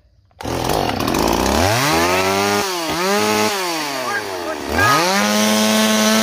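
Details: Stihl MS390 chainsaw after a new Meteor top end, crankshaft seals, carburetor kit, fuel line and fuel filter. Revs keep surging and sagging, the pitch swooping up and down instead of holding clean: saw sucking air through an air leak.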